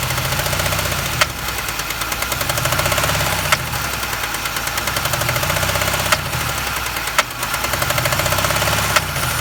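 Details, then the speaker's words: 2005 Chevy Impala LS, 3800 Series II, 220,000 miles, with a cylinder 1 misfire code and low power: a sharp regular metallic rapping over idle. The cause is a wiped lifter, not a rod bearing or piston slap. "a lot of the internet is always talking about connecting rod bearing but in my case you know it's not piston slap it's it's we got a white lifter somehow"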